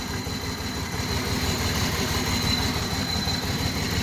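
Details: Pontiac G6 3.5L with random cylinder misfire since engine swap, persisting after new coil pack, injectors and plug wires; Seafoam added: lumpy uneven idle with irregular low shake under exhaust, misfire cause unknown.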